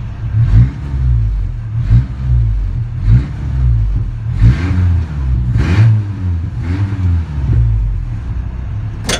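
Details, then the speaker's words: Ford Ranger, long-sitting truck that had trash fuel, power steering pump being replaced: several quick throttle blips about one a second rising cleanly and dropping back to smooth idle; running better than ever, normal revving. "it's running really good. I never actually had it running this good."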